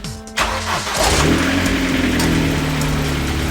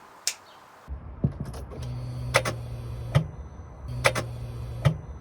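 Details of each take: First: Vauxhall Astra VXR (Astra H Mk5) with a sticky starter that engaged without turning the engine: quick starter whir, engine catches at once and revs to a steady, even run; clean normal start. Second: Vauxhall Astra VXR (Astra H Mk5) with a sticky starter motor; repeated sharp clicks with whirring spin about every 1.7 seconds, engine never turns over: starter engaging but not cranking, new starter ordered.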